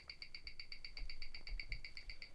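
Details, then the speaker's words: 2008 Rolex Explorer II, black dial, version four, on a Weishi 1000 timegrapher, beating at 28,800 beats per hour; fast, even, crisp ticking at about eight beats a second. Healthy running movement. Normal watch tick. "you can hear that the clicking is going a lot faster than what it was before as it is beating at 28 800 beats per hour"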